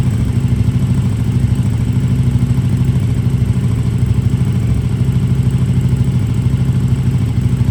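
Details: KTM RC8R with a swapped 2020+ third-gen 1290 Super Duke engine and electronics, first start after the swap: deep, steady idle with an even low thump, no clatter or misfire; normal idle.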